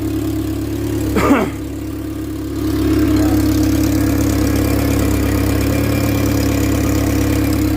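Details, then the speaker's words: Opel Corsa 1.4 Utility, about 20-25+ years old, 120,000 km, neglected: at idle after start, a raspy puffing chuff rides over the low drone from an exhaust leak at the downpipe flange. "You can hear that the exhaust is leaking quite badly. It is actually at this downpipe plunge."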